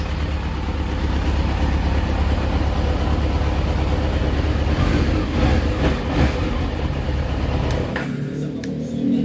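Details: Kawasaki ZX-12R first start after sitting several years, after starter rebuild, injector cleaning, fuel system cleanout, oil and coolant change; loud steady low rumble, even beat, no knocks or misses; normal idle.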